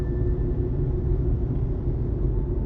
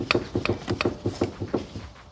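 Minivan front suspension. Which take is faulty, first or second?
second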